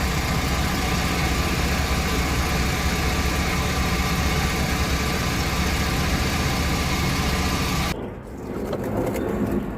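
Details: 2002 Chevy Astro van 4.3 after replacing the fuel pump and fuel filter: a steady, even idle with a low smooth rumble and no knocks or misses; healthy.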